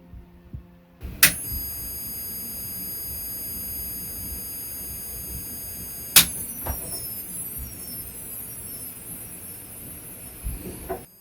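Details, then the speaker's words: Philips CM8833-II CRT monitor, bought faulty, microphone moved to the side: thin, steady high whistle over faint hum between switch clicks, no power light, nothing else; owner suspects the flyback transformer, and the power switch is also to be replaced. "we get no power light look and nothing zipo so that's what we've got and that's what we're going to have to try and fix"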